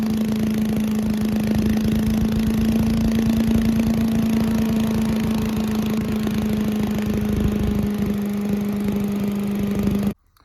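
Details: Giant Vac leaf blower with 1982 8 hp Briggs engine, after clearing water from the fuel: steady, even drone at a constant high pitch for ten seconds with no surging or stumbling, then switched off; running cleanly.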